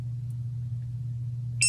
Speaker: So we lost power. We just crashed. Hear it beeping, like kind of clicking. And that's what the buzzer will sound like after it ejects your battery.